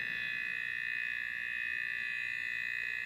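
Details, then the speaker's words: TI-99/4A console scanned with a signal tracer pickup (no emitter) over the I/O chip; steady high-pitched whine pulsing about four times a second; electrical noise from the I/O chip. "that's definitely a noisy Beast"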